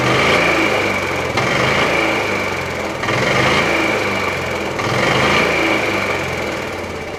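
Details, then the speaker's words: 1987 Club Car DS gas golf cart, Kawasaki KF82 engine, revved in place: loud buzzy single-cylinder revving with uneven dull clunks every second or two, suspected from the rough primary drive clutch, not the engine. "I'm going to start this up and rev it up a little bit. It makes a clunking noise, and I'm sure it's coming from that clutch. It's not the engine."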